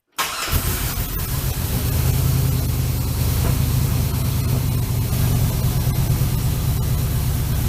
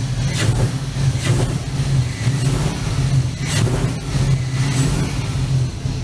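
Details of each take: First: 1965 Chevrolet C-10 with LS swap, P0300 misfire, after new coils, plugs, injectors: idles with irregular stumble, still missing; misfire persists. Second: LS-swapped 1965 C-10 after replacing intake manifold gaskets to cure P0300 misfire: engine rises cleanly in repeated blips over a steady low rumble with no stumble off idle; misfires mostly solved.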